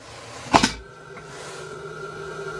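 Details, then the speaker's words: Camper van Thetford cassette toilet SOG odour-extraction fan after installation: two clicks as cassette opens, then quiet steady even hum; fan starts and sucks air normally. "On va aller voir si le ventilo se met en route."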